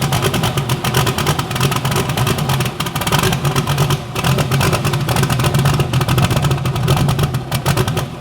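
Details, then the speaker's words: Bibbster hot rod V8 idling and revving, fire-up after finishing the cooling system. The tune was richened to cure a slight idle surge and now runs fat; the cold-start setup may need changing. Deep, even burble, blips rise and settle cleanly, no surging: normal. "So she's ready. Sounds good. I actually fattened up the tune-up a little bit. It was kind of surging a little bit at idle."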